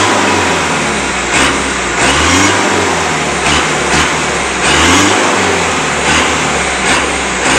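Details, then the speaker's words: Mitsubishi Canter PS125 HD diesel after injection pump timing and fuel load adjustment: smooth repeated rev bursts dropping back evenly, with a knocking beat called acceptable and only moderate smoke; normal revving. "memang bunyinya seperti hentakan seperti ini ya tapi ya tidak masalah lah"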